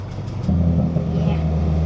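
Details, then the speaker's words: Honda project car with an aftermarket header and a motor of uncertain health: it revs from idle with a coarse, buzzy, raspy exhaust note and a slight tick. The cause is not pinned down. "let's go ahead and turn it on Sam sound bad she bit raspy"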